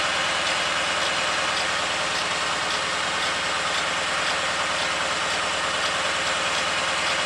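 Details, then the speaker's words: 2008 BMW 318 with intermittent misfire, during the diagnostic injector test inducing misfire on each cylinder: loud uneven stumbling idle, just under two pulses a second, car rocking side to side; fuel injectors condemned as the cause. "it's a juicy mix fire now and each of the cylinders that's why the camera shaking as the cars rocking side to side"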